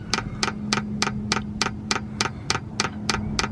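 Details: Van diesel heater in Juneau, Alaska, 35 degrees, priming through new clear fuel line with some air bubbles: crisp, regular fuel-pump ticks about 100 a minute over a faint steady hum. Normal diesel heater fuel pump priming.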